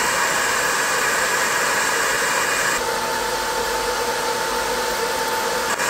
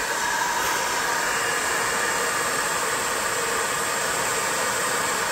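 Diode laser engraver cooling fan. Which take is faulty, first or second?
second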